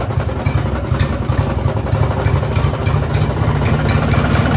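Small single-cylinder engine idling roughly with a loose, uneven knock riding each beat, typical of a worn connecting rod bearing.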